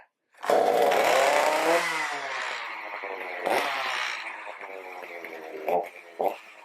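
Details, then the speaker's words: Stihl MS310 chainsaw with a no-start-after-storage problem, started on choke with no chain or load: it screams up high, then sags and surges unevenly without settling. It is oiling, but the carburetor needs adjusting. "Yep, it's oiling. Started up pretty quick. Does need a carb adjustment."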